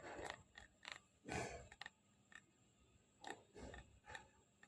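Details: New iPad Air 5, creaking began 5–8 days after purchase: irregular dry creaks and clicks as the back is pressed over a hollow space in the back panel; flexing back panel suspected, not confirmed.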